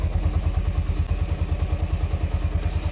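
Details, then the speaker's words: Honda Mega Pro single-cylinder motorcycle after top-end repair (camshaft and rocker arms replaced) to cure a noisy, rough engine: a steady, even low thump at idle with no tapping. Smooth normal idle. "ini suara mesinnya sudah halus ya sudah harus kembali beda dengan yang tadi sebelum kita perbaiki teman-teman"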